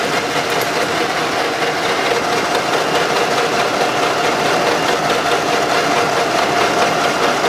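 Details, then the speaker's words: Running engine, oil rarely changed, heavy blow-by; owners reported strong knock in the engine or near the head: fast steady knock about 140 per minute over idle clatter, from camshaft axial end play. "сейчас проверяем осевое смещение распредвала он тоже бывает стигма так стучит"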